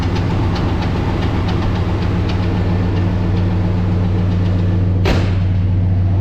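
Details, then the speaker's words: Silverado SS V8 after tune-up, new power steering pump and fuel filter, fuel drained: faint quick ticking, about three or four a second, over a steady idle; owner unsure, suspects AC, lifter or cam bearing. "you can still hear my noise up here guys I don't know almost sounds like it's a AC"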